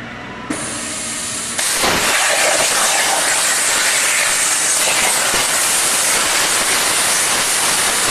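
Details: Hypertherm MaxPro200 on a CNC plasma water table cutting 12 mm plate at 200 A with oxygen/nitrogen gas, water not very hot; loud steady hissing roar jumping up at arc start and holding without sputter, normal plasma cutting.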